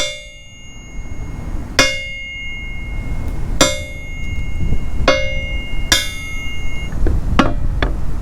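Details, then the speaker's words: Hammer blows on a light steel I-beam used as a workshop anvil ring out with bright, bell-like tones lasting nearly a second; loud ringing and vibration, blamed on free ends, before welding in pieces to dampen it. "so my aim is to dampen this noise and vibration I have a simple idea for that"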